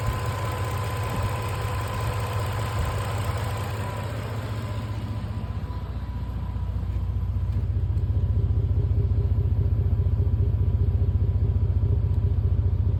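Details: 2000 Toyota 4Runner 3.4 V6: low, uneven idle with a loping stumble about two to three times a second after a rev. Sounds like a misfire; cause suspected, not confirmed.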